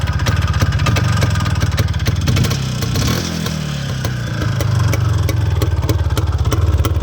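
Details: IZh Planeta 5 two-stroke motorcycle after fixing a no-start ignition problem (not the coil): crisp, even idle popping, one clean blip up and back, settles without stumbling; running normally.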